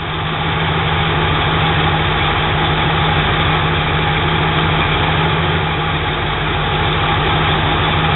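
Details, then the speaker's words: Old Ford V8 with 105,000 miles, 79 two-barrel carburetor, performer/RV cam, open air cleaner and C4 automatic: heavy lumpy idle throb about three per second, a shake that goes away when revved. "That's why this motor shakes. Well, it's got 105,000 on it, so it's had 60-some thousand miles put on the motor. It goes away when it's revved up."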